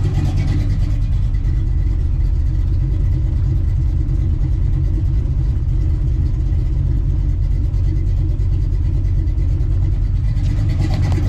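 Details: Small-block Ford 306, GT40P heads, Anderson N41 cam, Holley double pumper: heavy low idle rumble with even, slightly choppy beat, idle mixture tuned to about 12.5–12.8:1 AFR; lopey cammed idle.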